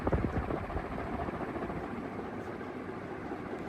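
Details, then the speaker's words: 120cm Triton (Loyal) industrial ceiling fan on high speed, spinning faster, capacitor thought to be wearing in, slight wobble noted: steady rushing air and low even rumble, no knocks or rubbing, moving lots of air; normal running. "As you can hear, it moves tons and tons and tons of air."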